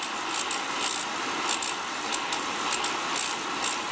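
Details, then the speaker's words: Beckett oil burner ignition transformer being checked by lifting it off: sharp buzzing crackles firing in regular bursts a few times a second; strong, steady sparking, transformer good; normal ignition spark. "How I check a transformer. Yeah. When you pick it up off there, you can hear it sparking."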